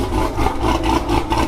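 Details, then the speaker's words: Big-cam engine with a badly done tune, before cam removal and retune: choppy, uneven lumpy idle pulse over deep exhaust rumble; lopey idle. "it's chopping. It don't sound too shabby. It's chopping."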